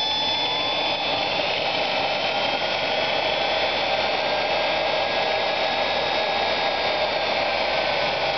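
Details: Homemade 1500 A motor controller driving a large, roughly six-inch Advanced DC forklift motor on 36 V from three mismatched lead-acid batteries with improved cables: steady, even high electric whine, no surging or cutting out. Controller unfazed; normal run.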